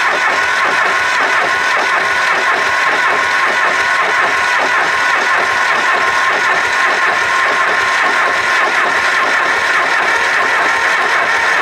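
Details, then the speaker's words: Supercharged Cummins diesel tractor after fitting a different injection pump: it turns over steadily in an even rhythm but never fires; they suspect it is still bleeding and drawing air somewhere. "but it's pushing a heap of fumes out of it now like air or whatever so which way right back like fuel's coming out with like yeah so maybe it's still bleeding yeah it's getting that air from somewhere"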